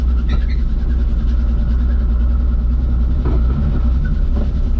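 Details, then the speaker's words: Lowered Nissan Z daily driver over a speed bump: heavy road rumble with a few sharp, isolated clunks from the front suspension. "Sounds like your whole suspension's gonna come off the car. It did once already."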